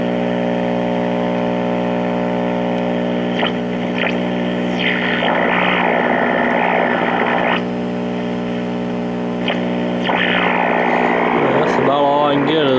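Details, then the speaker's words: 1952 Trav-ler Model 5171 AA5 tube radio at first power-up before recapping. A loud steady filter hum sits under faint hiss and whistles while tuning, with only a faint signal trying to come in and no clear station. "and we have a normal filter home sound like we had a little bit of a signal trying to come in"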